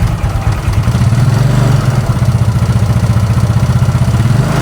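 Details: Used carbureted Yamaha Mio (Smile), just bought, weak power and rough engine: fast, even ticking at idle that gets louder when revved; mechanic suspects rocker arm and camshaft area, not confirmed.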